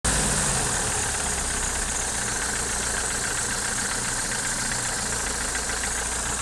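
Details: Opel C20NE engine with new Kolbenschmidt hydraulic lifters: a steady idle with a loose, uneven knocking tick through it that does not settle; engine knock at idle, source unknown, owner asking for identification.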